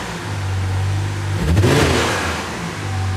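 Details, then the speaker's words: Toyota JZX90 1JZ automatic: a steady idle climbs into a brief, hot, fast rev and settles, and the car barely moves in gear (Drive, 2 and low tried); transmission slipping suspected, unconfirmed. "and now it's revving hot and fast see how it just like moves a little bit and that's in gets in gear i'm in drive"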